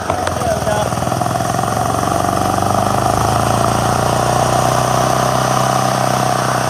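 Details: Hard-starting generator started with a nozzle jammed into the intake: steady, even drone holding speed with no surging or stumbling; running normally.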